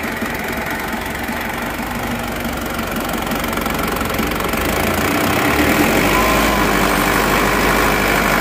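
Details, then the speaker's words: Diesel idling smoothly after injection pump timing was moved back forward: even, steady clatter with regular beat, no shake like before; normal idle. "Nah sudah rata ya tidak goyang-goyang seperti kemarin ya"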